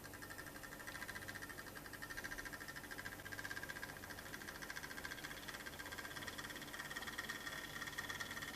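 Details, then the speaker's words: Brand-new EFE/Kernow Southern Railway CC1/Booster (Class 70) model locomotive running in one direction: faint quick steady ticking over soft motor hum, lumpy and creaky, like clockwork; smooth the other way, clicking from the drive. "A little bit lumpy. A little bit creaky. Ooh. So it does run, but there's a noise I'm not happy with going in this direction."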